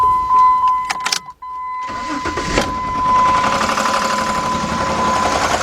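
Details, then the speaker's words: 2003 Jeep Liberty Sport 3.7, 133,000 miles, before partial engine rebuild: catches after a couple of cranks into loud harsh rough clatter, some smoke, raw gas and burning oil smell; loud abnormal engine noise, source not pinned down. "there's heard of loud clean there's noise going to bat check it out see a little smoke I'm smelling with hey big noise oh no no no we can't run this too long at all"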